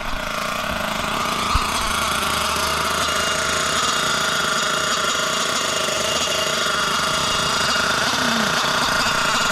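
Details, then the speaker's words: Losi LST XXL nitro RC truck, first run since purchase, initially lean on the low-end needle: steady high-pitched buzz, smooth and even after warming up and richening the needle; sounds much healthier. "on see that sounds a lot better A lot healthier"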